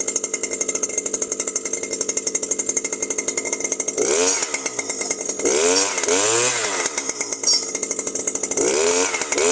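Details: New Stihl FS 120 brushcutter that stopped starting after break-in, running after the faulty spark plug was replaced with a scooter plug: even two-stroke idle buzz, revs up cleanly and drops back without stumbling or misfire; healthy.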